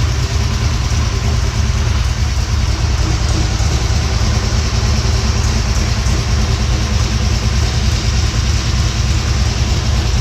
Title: Exhaust leak popped up